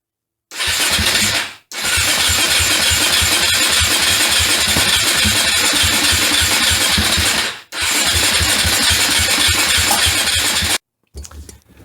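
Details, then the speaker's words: KTM 450 dirt bike unused for over 10 years, third attempt with new spark plug and more petrol: two sputtering bursts of uneven firing cut out between cranks; rough running and stalling on first start, cause not confirmed. "oh well there's your first startup needs to run a little while maybe get smoothed out let's try it again"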